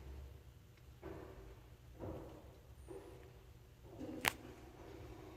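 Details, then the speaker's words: JNH Lifestyles Zero EMF far-infrared sauna, noisy after about two months of use, warming up with three parts removed for testing: soft knocks about once a second, like creaking as something expands; cause suspected, not confirmed. "it was making noise like kind of loud and like it was like something was expanding well it was heating up"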